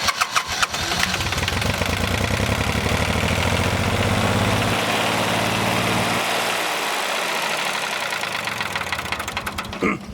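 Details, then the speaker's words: 1988 John Deere 950 (Yanmar-built) diesel tractor after a fuel filter change, bleeding the injector lines: cranks, catches and chugs unevenly, then sags and falters after a few seconds from air still trapped in the lines. "you can't have air in the lines you know once it gets to the injector pump it has to they can't have air in the lines so i got air in my light so i got to bleed my entire fuel system"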